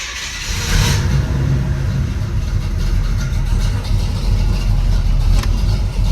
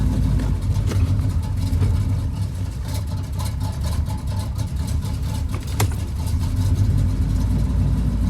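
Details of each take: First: Pontiac Grand Prix G-body with cammed 305 small-block Chevy after replacing the faulty plug wire and boot: lumpy cam rumble revving cleanly with no stumble or misfire; running healthy. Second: Pontiac Grand Prix G-body with cammed 305 small-block Chevy V8: lumpy uneven idle with irregular stumbles, rough at idle and stop-and-go; misfire, cause unconfirmed.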